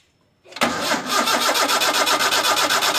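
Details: Toyota Kijang with spark confirmed at the coil wire: starter spins the engine steadily at about four pulses a second, even and unbroken, but it never catches; crank, no start.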